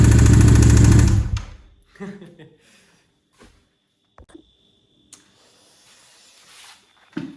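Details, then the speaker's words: Yamaha MT-07 engine, about 16,000–17,000 km, damaged by oil starvation: short rough start with a heavy, fast low knock from the bottom end before cutting out; suspected failed connecting-rod bearings. "qui est là un gros bruit au niveau du jeu pensé au niveau du banc moteur je pense qu'un coussinets de bielles et hs"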